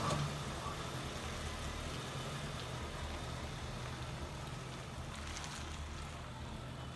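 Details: 2007 Ford Crown Victoria V8 idling unevenly with a lumpy low rumble that stumbles now and then: misfire on cylinder 8. It began after the car shook hard while passing on the highway and came home in limp mode.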